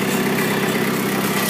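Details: 1985 Toyota 4Runner with an imported 2.8L 3L diesel (about 60,000 miles, DTS turbo kit at ~5 psi): steady, even diesel idle with a smooth rumble, no knocks, misses or rattles. Normal idle.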